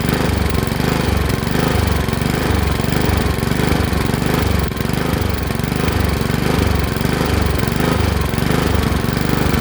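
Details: Honda HRX217 lawn mower engine surging, revs pulsing up and down almost twice a second instead of holding steady; caused by a dirty carburetor, fixed by cleaning the carburetor.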